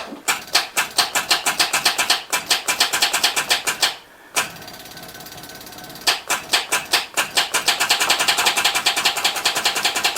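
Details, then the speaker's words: 1979 Chevy K20 square body, sat about 30 years, first attempts restarting after it was revived: starter gives rapid dry clattering ticks in bursts, no cranking or firing; starter stayed engaged, key sticking in start, solenoid punched in not backing out. "now that sucks um let's just let that starter sit for a while tap on or something well disengage the is punched in and not backing out that really sucks cuz I couldn't hear that well when I started it"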